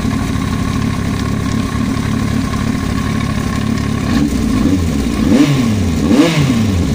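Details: Yamaha YZF-R1 idling then blipped twice: busy metallic clatter from the cylinder head sharpening as revs climb and fall; engine top-end knock.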